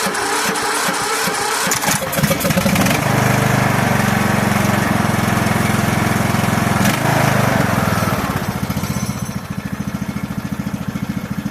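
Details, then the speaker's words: 1998 riding lawn mower, Briggs & Stratton Vanguard vertical-shaft twin, over 25 years old, after starter replacement; battery possibly weak. Brief cranking, then catches quickly and settles into steady, even idle with no dragging or knocking; normal start. "how about that? Not bad. Not bad for a lawnmower. It's more than 25 years old, huh?"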